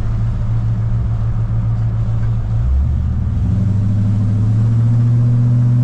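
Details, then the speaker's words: GMC Squarebody truck with LS V8 on test drive after swapping the junkyard ECM for Holley Terminator X, which also fixed its misfire: deep, even rumble pulling smoothly, all eight cylinders firing; normal running. "oh yeah they're firing now oh yeah I got all eight again yay time for a test run"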